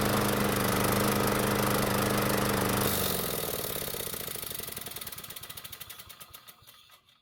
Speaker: to be honest I'm not entirely happy with how this test run went so first off the engine was smoking more than I would want it to at the beginning and secondly it could be running a little bit better